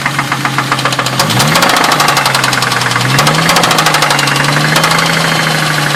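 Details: 2000 Ford Mustang, warm idle after 5-10 minutes of running, honey added to see if it helps: sharp steady knocking about four times a second, persisting as revs shift; owner suspects rod knock, unconfirmed.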